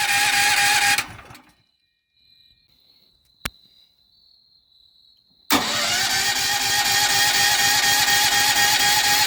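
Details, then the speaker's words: Firman H07553 9400W dual-fuel generator, first start on gasoline via push-button electric start after oil fill: quiet pause, then instant catch into a steady, even roar with no misses; normal electric start and run. "So we're going to turn it to gas. The red light comes on, and then we have an electric start here. We're going to do that."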